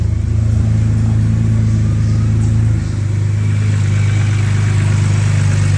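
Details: BMW N52 straight six, cold start after DIY oil cooler and housing gasket replacement, coolant level holding; deep, steady, smooth idle with no ticking, knocking or hunting, healthy.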